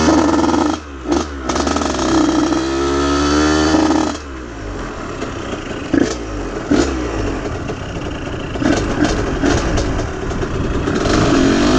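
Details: Aprilia RS50 frame with YZ85 two-stroke engine on stock clutch, springs and jetting, clutch basket ridges shaved: revs up, then stumbles and drops away with irregular clattering pops under load, bogging; cause unclear, owner suspects tuning.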